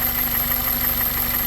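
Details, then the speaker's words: 2001 Toyota Corolla 1.8 that had a P0301 cylinder 1 misfire (engine had shaken): steady even idle, smooth low rumble, no stumble or skipped beats; no codes, running cleanly. "como pueden ver verdad se oye una belleza el motor ya vieron que no hay código verdad"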